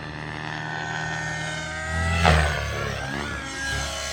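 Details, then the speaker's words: XLPower Nimbus Nitro helicopter with an O.S. .55 HZ Hyper engine, freshly built and flying with new blades after the spindle screws were recured. Steady engine and rotor whine rises and falls smoothly as it passes overhead, so the flight is normal and the owner likes these blades more. "oh yeah it's flying good now yep so I definitely think I'm liking it more with these blades"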